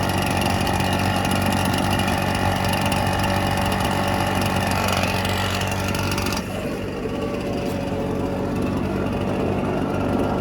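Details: Red Max EBZ7100 two-stroke backpack blower warming up just after a choke start, rescued from the dump with its missing fuel lines replaced and carburetor repaired. Steady, buzzing idle with an even pitch that settles slightly lower partway through; warming up normally.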